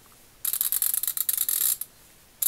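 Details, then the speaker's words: Craftsman CMMT82111 180-tooth 3/8" drive ratchet, reassembled after total teardown with thread locker: fine, rapid, high-pitched clicking in quick bursts as handle swings back and forth; ratchet works normally, with fairly tight back drag. "Okay, let's see if it's ratcheting. Switch it back and forth. It's ratcheting. You can hear how it sounds."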